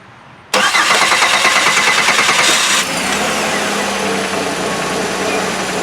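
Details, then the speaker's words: 2000 Oldsmobile Silhouette 3.4L V6 minivan after installing a new AC Delco starter, restart to hear it: brisk cranking about two seconds, catches first try and settles into smooth even idle; normal starter cranking and start. "hey can you turn it off and try it again just for fun to hear the sound of that brand-new starter go ahead"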